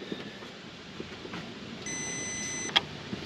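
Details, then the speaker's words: 2003 Saturn VUE 3.0 AWD with reduced-power warning and codes P0121, P2119, P2176, P2101, P0700, after throttle body replacement; faint high electric whir under a second then a sharp click as the plate finds its minimum stop; normal self-test. "sounds like it found its minimum"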